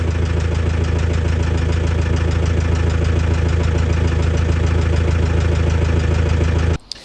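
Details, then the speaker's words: Nissan Patrol ZD30 diesel, original engine before replacement, at idle: light, fairly regular tick about four a second over the diesel clatter, then shut off; tick undiagnosed, one of four suspected causes. "Okay, so before we get into the crux of what that ticking noise might be, let's just have another little listen to it."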